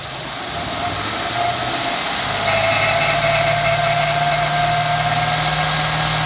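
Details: 2014 Ford F-150 4x4, hood open, engine revved: thin high-pitched nails-on-chalkboard squeal over engine, rising and holding as revs climb; once only cold for five minutes, now constant; source undiagnosed.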